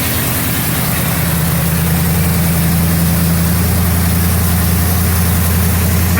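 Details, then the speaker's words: 1977 Mercury Marquis 400M V8 after new plugs, plug wires, a valve cover gasket and distributor corrosion cleanup: steady, deep, even idle with no misses, knocks or ticks, healthy. "Motor sounds pretty nice. Sounds healthy and everything."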